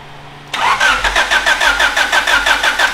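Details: Demolition-derby Honda car, freshly reassembled fuel pump, started with a screwdriver: brief crank, then it catches and settles into a fast, slightly uneven idle around three pulses a second; normal engine start.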